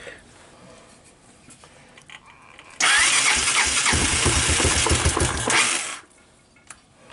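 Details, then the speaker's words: Abandoned 1986 Honda TRX200SX ATV, unstarted for years after sitting in bushes, key switch bypassed, started on choke: cranks, catches and runs with a steady fast beat for about three seconds, then shuts off; it starts and runs normally. "well I'm pleased so it starts and the wheels turned"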